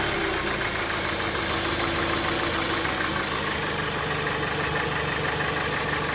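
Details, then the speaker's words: 2001 Dodge Stratus 2.4 engine, oil level correct, compression 13 in every cylinder: loud idle with rough uneven knock about three times a second from somewhere underneath, strong vibration, long-standing and worsening; cause unknown. "Dodge Stratus 2001 года, двигатель 2.4 EDZ. Что-то стучит. Попробуем завести."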